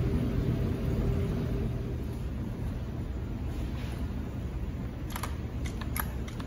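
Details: Two-stroke string trimmer at wide-open throttle with a clogged spark arrestor screen: a low, muffled, smothered burble that sags and never cleans up, with deep rich smoke, then peters out and dies; it runs well after the screen is serviced.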